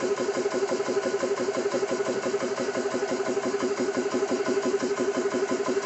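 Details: Xisico CS3 4500 PSI 12/110V portable compressor, first startup after oil fill, bleed valve open running unloaded, rated about 75 dB, oil level in sight glass fine: quick even piston chatter about three beats a second; normal running.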